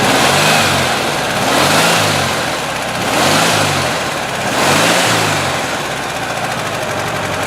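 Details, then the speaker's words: Air-cooled 1600 engine for 1970 Volkswagen single cab, recently rebuilt elsewhere, oil level fine, run by hand on carburetor: surges about every 1.5 s with rough mechanical noise from one side and heavy vibration; possibly a bearing, cause unconfirmed. "okay so basically just want to share this with the client who had this engine built just to hear it run so I'm not sure if the microphone can pick it up in the video but there's some noise going on on on this side of the engine and there's quite a bit of vibration from this side"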